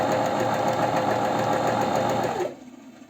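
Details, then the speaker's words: Janome 509 sewing machine after repair, sewing ordinary fabric with straight stitch: quick even stitching rattle about 3.5 stitches a second, steady until it stops; normal sewing. "все шьет сейчас поставлю я еще Зигзаг вот он прямой шов Вот видите Какая идеальная ниточка"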